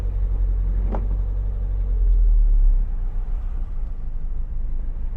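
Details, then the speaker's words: Cold-morning Mazda MX-5 after restoration idling low and lumpy, clearly running on three cylinders with low idle speed; misfire, owner suspects a coil pack but will check bonding lead first. "you can hear it's very clearly only running on three cylinders and look at the idle speed is quite low"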